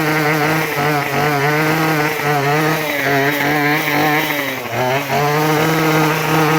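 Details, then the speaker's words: Craftsman WS2400 two-stroke pole saw after refilling with freshly mixed fuel, before carb adjustment: buzz wavers and sags on throttle, briefly bogging before picking up; hesitation milder than before. "when squeezing the trigger there is a bit of delay and body down response but not as bad like before"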